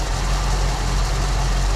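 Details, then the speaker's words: 1974 Ford Bronco V8 just after first start in over 16 years, following fuel system work; owner thinks all 8 firing, low steady smooth idle with no misses or knocks; runs great. "Give it just a little bit of idle. Outstanding, guys. Runs great."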